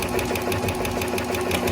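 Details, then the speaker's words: Hemi engine at smooth idle with sharp, even ticking about six per second from the top end; excess oil seen at one push rod pocket in the rocker, stethoscope used to find the noisy lifter; lifter tick. "I have a lifter ticking here, which is great. Gives me a chance to discover which one it is."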